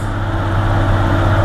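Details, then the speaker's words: Jeep Cherokee XJ 4.0 after free throttle-body adjustment to cure high, erratic idle (earlier change brought it to about 1100 rpm); warm engine now holds a low, even, stable idle without hunting, even in gear. "nice and civilized hidden Idol was shaken up nice and stabilized just by adjusting myths"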